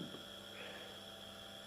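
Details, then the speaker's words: First small 230 V single-phase induction motor, unloaded, on a homemade variac: steady hum with constant higher whine, no rubbing; noise rose from 55 V to 115 V but barely from 110 V to 165 V, running cleanly. "what I've also been able to detect that as soon as I went from 50 55 to 115 volts the audibility of the motor has increased but when I went from home 151 or 110 to 165 volts the noise hasn't really increased that much"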